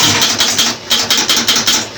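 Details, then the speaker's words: Gottlieb pinball with AAB start-up fault, after cleaning and adjusting the stuck-closed switch on the AX relay: crisp relay clicks in quick bursts about five a second then even reset rhythm; starts normally, flippers and scoring work. "And there we go. It worked. Have we got flippers? Yes, we have."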